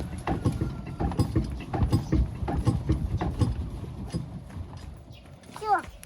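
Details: Stationary tractor rocked side to side: dull, uneven knocks about once a second. The knock was first noticed while cultivating and first blamed on the cultivator. Rust is visible at the rear axle; the owner suspects the axle has loosened or its bearings are failing, which is unconfirmed.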